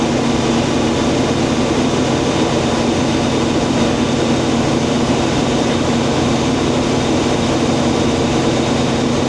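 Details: International 1440 combine after replacing the bad feeder belt and pulley, with the hydraulic pump and head hooked up: constant, even drone from engine and running head, no squeal, slap or grinding; feeder drive turning cleanly.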